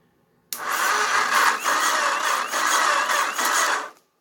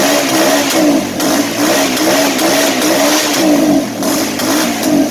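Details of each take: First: Auction Kawasaki (titled 1989 KLR650; owner unsure, thought 1987 250), neutral safety switch/relay wires bypassed, powered only by a battery charger on low: a thin starter whir surging slowly about every half second. It barely turns over because the supply is too weak. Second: Auction Kawasaki (titled 1989 KLR650) single: a steady, even thump with clean throttle rises, no knocks or misses. It's a runner.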